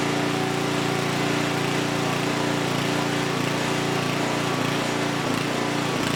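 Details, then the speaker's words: Huskee rear-tine rototiller abandoned by previous owner, after recoil repair, carb and fuel tank cleaning, running hot before oil change: steady, fast, even engine beat at constant speed, no misses or surging; engine is good, normal running. "okay so here's what we know the engine is good"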